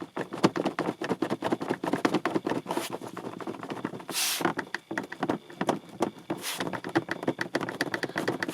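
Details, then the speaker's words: 2007 Peugeot Partner 1.6 HDi (9HXC, 90bhp, about 102,000 miles): quick, dry plastic clicks as the loose cover on top behind the instrument panel is rocked by hand, plastic on plastic. It constantly rattles on the road. "This really rattles and drives me a bit of crazy. So if I move it, you can, well, hopefully you can hear it."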